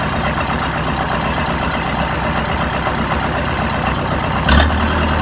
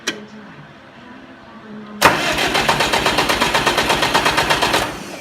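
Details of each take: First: Oliver 550 tractor diesel after the new injector install, with a rigged-up radiator: a steady, even, low idle with no missing and no smoke; it runs normally. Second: Oliver 550 diesel tractor after new injector installed: quiet pause then even starter churning about seven beats a second for three seconds, no firing; cranks but won't start.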